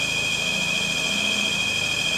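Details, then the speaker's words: Citroen CX GTi first start after head gasket work: steady high-pitched whine over a smooth-running engine with no pitch change; it's the alternator, no issues. "That's the generator. It's the generator. No issues there."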